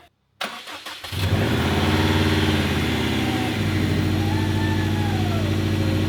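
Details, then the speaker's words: 2015 Subaru WRX STI EJ257 first start after third rebuild, coolant still filling: quick crank then steady, even idle with smooth rumble, no knocks or ticks; engine healthy. "It may not be setting any speed records, but the sounds this thing makes are perfect."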